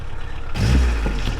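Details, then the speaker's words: 1979 VW Rabbit diesel at a steady low idle: a loose, buzzy rattle underneath from the exhaust resonator, whose internals blew out the day after the broken exhaust was welded; owner plans to cut the resonator out. "but it actually does, the exhaust does have a rattle to it. The internals of the resonator blew out after I'd gotten the exhaust fixed where it broke."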